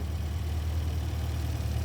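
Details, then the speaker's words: 1973 Volvo 1800 ES four-cylinder just started after rebuild with new cam, solid lifters, cam and crank bearings, original pistons and rings, 150 psi compression: smooth even low hum with no ticks or knocks, normal idle. "But as you can hear it, it's one of the best running Volvos that I've ever heard of. You know, after being rebuilt, it's just so smooth."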